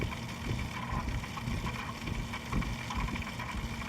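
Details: PC making a grinding noise: a steady, low grinding drone runs without a break over light background hiss, like a worn fan or drive bearing, though the exact part isn't clear.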